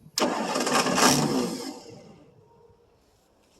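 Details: 1963 Ford Thunderbird, 390 four-barrel, cold start after about 3 years unstarted, fuel poured into the previously overhauled carb: the starter cranks about 1.5 s and never catches; owner suspects it needs more gas in the carb, i.e. fuel starvation.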